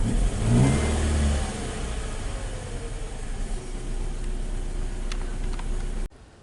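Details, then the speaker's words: Car with cylinder 4 misfire after replacing ECM, plugs, coils and fuel injector: revs then settles into uneven lumpy idle with irregular stumble; check engine light still on, problem seemingly unchanged; owner next suspects timing chain, valves, piston rings. "check engine light still on i don't know i have to drive and see i think it's still i still have same problem"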